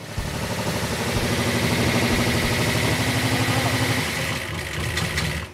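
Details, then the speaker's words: Aftermarket-built Mopar V8 on a stand, test coil fitted; uneven lope about three beats a second with sharp popping; rough running, suspected aftermarket pushrods of wrong length holding a valve open; cause not yet found. "is that what's popping is the coil that's popping on it"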